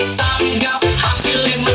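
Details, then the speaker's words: Monster 210 active speaker playing music over Bluetooth after repair: clean, full sound with crisp highs and solid bass, and the earlier crackle is gone. The amplifier is working properly. "Nah ini sudah jernih ya teman-teman ya. Kalau kemarin kan ada suara kresek-kreseknya gitu ya."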